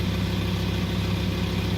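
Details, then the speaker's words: VW Touareg 2.5 TDI after rebuild, idling: steady diesel throb with fast, dry rattle from the rear timing gears, louder than before, a known common fault of this engine; otherwise engine runs well, no smoke. "И так вот шестеренки отчетливо слышно вот здесь. Вот они гремят."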